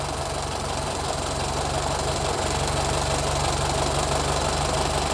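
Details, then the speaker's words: 1925 Ford Model T, first run after decades of sitting, plugs and points cleaned: even, regular mechanical clatter over a steady low idle; the engine runs well. "(engine idles) Dude, it runs good. - It's running really"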